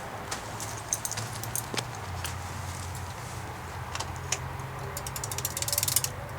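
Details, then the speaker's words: Vintage all-metal Kmart box fan, dirty and probably needing oil, stepped from high to medium: steady low motor hum with light ticking from the metal housing, spins evenly and still moves good air; healthy fan. "now medium it's still running fine still moves a good bit of Aaron"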